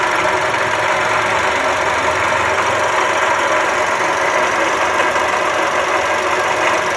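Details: Toyota Calya/Sigra engine bay, customer complained of rough noise: steady rough hiss and whir at idle with little low rumble, coarse grinding of a worn water pump bearing; fix is replacing the water pump assembly.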